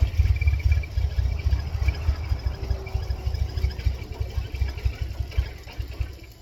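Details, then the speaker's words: 1999 Mercedes-Benz C230 Kompressor W202 with a flashing check engine light and the throttle body unplugged: a low, uneven chuffing for a few seconds, then it dies, stalling after starting on two attempts. "Two attempts, stall. Unplug mass airflow sensor. And air control. Stalls immediately."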